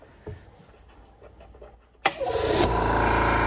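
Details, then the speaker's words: Compressor running on an extension cord in the shop while an antique tire changer is being set up: it kicks on with a thump and settles into an even, steady pulsing run, quiet enough to talk over. Normal running. "So this thing is super quiet. You can have a conversation with somebody standing right next to you."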